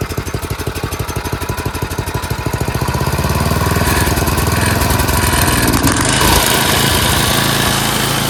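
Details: Craftsman 928 snowblower, 9 hp Tecumseh single-cylinder, after carb cleaning, an idle adjustment and a quarter-turn governor screw adjustment: speed picks up in the first seconds, then settles into a quick, even idle with no hunting. Normal idle, surging fixed.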